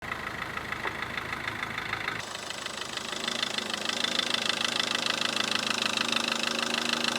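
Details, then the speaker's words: Mahindra Verito diesel: a fast, even rattling knock when reverse is selected and the clutch takes up; the broken lower gearbox mount hits the body. "ഈ ഒരു വണ്ടിയുടെ പ്രശ്നം എന്ന് വെച്ചാൽ reverse gear ഇടുമ്പോഴേക്കും ബർ എന്ന് പറഞ്"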